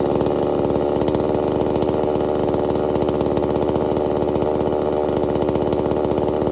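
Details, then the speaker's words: New Holzfforma G388 chainsaw (Stihl clone) during break-in: small two-stroke buzzing fast and steady at idle with no throttle input, idling too high, so the idle is to be turned down slightly. "Sounds like it's idling very high, so I'm going to shut the idle down on it just a little bit."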